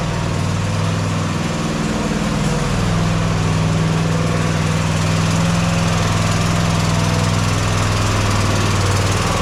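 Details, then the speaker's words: Mower at steady idle: constant airy whoosh hissing over the engine beat; compression escaping past a blown head gasket, confirmed by spray showing leakage at the head gasket. "you can hear that whooshing noise that's very uh distinguishable from anything else which tells you that the head gasket is blown"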